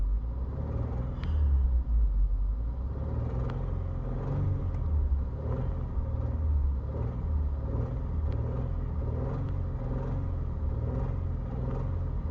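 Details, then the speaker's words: Subaru after three short block swaps, warm idle: steady low rumble with faint, irregular light ticks about once a second that come and go; source unclear; check engine light is a small evap leak, thought unrelated. "at idle, warm. The check engine light is small evap leak, so it's not related to this. But what do you guys think this sound is? I can't figure it out. Sometimes it's there, sometimes it's not."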